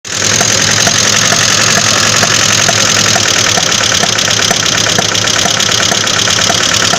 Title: Стук двигателя